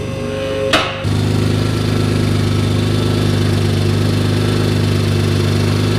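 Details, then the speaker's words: Mitsubishi 3000GT VR4 twin-turbo 6G72 after engine work: it starts, then settles into a loud, steady, droning idle with a raw exhaust note. The exhaust had never been tightened; the noise is an exhaust leak. "i don't know what that noise is what hear that noise i think it's coming from right here oh yeah we never tighten the exhaust off"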